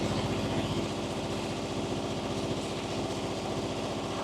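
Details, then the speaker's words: Diesel on a Miller Air Pak 400 welder, believed late-80s, newly serviced Wix filter, 80 psi oil pressure, check cooling system/alternator light on; steady even thrum near 150 pulses a minute, no knocks, runs all right trying to idle; normal running. "Runs all right. Trying to idle, it seems like."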